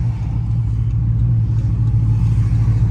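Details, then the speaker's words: Dodge Charger SRT8 392 V8 accelerating hard on the road after an exhaust leak hole was patched; deep, steady rumble with no hiss or ticking, leak noise gone, pulling much harder; exhaust sealed, healthy. "Like, I'm gonna give y'all a little pull, cause a lot of y'all might think I might be lying or something. But this bitch is snatching though."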